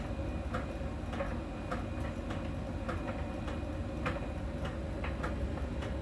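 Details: Miele dryer during drying: a light, regular tick about every 0.6 seconds over the drum hum, once per turn. A small ball sensor ticks at a contact spot on the drum's outer surface; this is normal, harmless sensor ticking.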